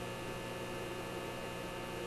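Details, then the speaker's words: Simplex antique vacuum tube radio, being troubleshot: steady low mains-type hum with faint hiss, unchanging; noise from the radio front end, cause not yet traced. "ok things went pretty quiet than that so what we did is we took the cap off of this to a 6 k-7 so I know things are pretty quiet from their forward in this radio noise"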